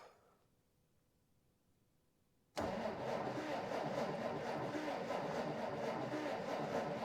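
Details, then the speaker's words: 1947 Dodge D24 Deluxe that has not run in over six months, owner suspecting an ignition issue; steady, even starter churn at about three to four beats a second that never fires; no spark at the plug; crank, no start. "is it sparking dang it no spark"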